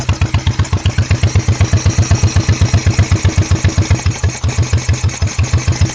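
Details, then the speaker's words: 1986 Honda Shadow VT1100 with 125 psi compression on both cylinders, good plugs and carbs already redone: a loping V-twin beat with chuffing puffs as the wet rear carb spits back. Rear cylinder is misfiring; owner suspects cam timing, not confirmed. "if you listen to this rear exhaust it almost sounds like it's sucking in sucking in or doing something not the way it's suppo"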